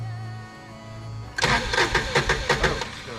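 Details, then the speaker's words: Kawasaki Mule with cranking issues, after reinstalling and reconnecting: starter churns in quick even pulses, nearly three per second, never catching; no fuel in the tank, so no start. "stop. We ain't got no fuel in it. We ain't got no gas in it."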